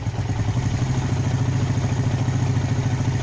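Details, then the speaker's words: Warm single-cylinder motorcycle putters and stumbles as the throttle is cracked open slightly, hesitating before revving; carburetor stumble, now idling fairly well. "dia ada berubah sedikit nanti lama-lama dia akan teriak dengarkan soya agak Brebes baru dia nanti akan teriak"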